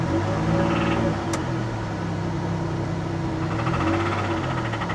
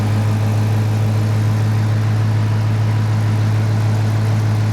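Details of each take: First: 2002 Pontiac Grand Prix GTP, 104,000 miles, at idle; low rumble with an irregular knock around three to four beats a second that shows on a light throttle tap; engine knock. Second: 2016 Dodge Challenger 5.7 L Hemi V8 with Shaker hood at idle; deep, steady burble with even firing and no ticks or knocks; normal healthy idle.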